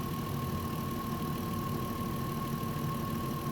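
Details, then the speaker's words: VW Touareg with a low oil pressure warning, being warmed toward 90°C with an oil pressure gauge fitted: perfect, quiet idle with a steady hum, no tapping lifters; oil change overdue by 10–15k km. "grzejemy go silnik generalnie Chodzi perfekcyjnie nic się nie dzieje cichutko żadne szklanki nie cykają Nic się kompletnie nie dzieje"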